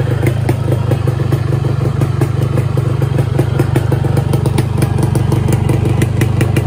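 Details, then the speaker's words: 2007 Yamaha RX King 135 two-stroke, unused about two years, previously repaired: starts after a few kicks into a loud crackly fast popping idle that stays steady; engine healthy, clutch stuck awaiting repair. "kita engkol berapa kali dia langsung hidupan walaupun motor ini sudah 2 tahun tidak hidupkan"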